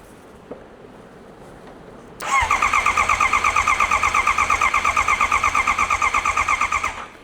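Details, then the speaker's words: 2022 Honda CBR650R, 3,000 on the clock, bought as a non-runner with no keys after sitting over a year: starter whirs steadily about five seconds with no firing; cranks but won't start, owner hopes it's only the key immobilizer blocking start. "No, it's not starting. Okay. Let's disconnect this. The only problem that I got now, I hope it's only the key immobilizer and it's not allowing to start it up."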